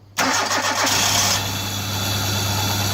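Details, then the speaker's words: Hyundai Getz, after failing to start first thing in the morning, restarted: quick crank catches at once and settles into smooth even idle, no misses or knocks; runs like a dream. "Runs like a dream."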